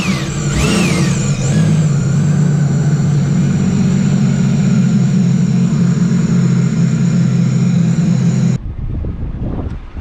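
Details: Sea-Doo RXP-X 300 supercharged engine at first service with fresh Stage 1 reflash and impeller (stage 1 plus), held at high revs: deep strong engine with clean rising supercharger whine, smooth and even until shutoff; healthy.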